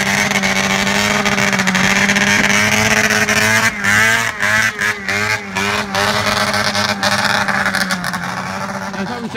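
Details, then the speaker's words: Arctic Cat ZR440 two-stroke snowmobile on first test drive after rebuild: revs rise and sag with stumbling dips and surges under throttle; runs rough, owner suspects fuel starvation, fuel pump and carb tune needed. "she doesn't sound that healthy right now she's starving for fuel right now"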